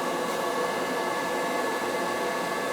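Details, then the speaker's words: Riello oil burner on an NTI boiler, annual service, TT jumped: steady even roar, no pulsing, popping or rumble. Normal clean running with a new nozzle this year, boiler cleaned, and a tank filter fitted a couple of years ago. "Burner head running, it's running clean, just a new nozzle."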